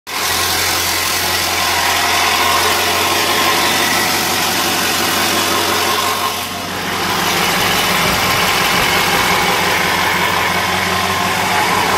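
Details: 2000 Ford 7.3L diesel at idle: uneven, lumpy beat of roughly four pulses a second over loud steady clatter; rough idle, cause unknown.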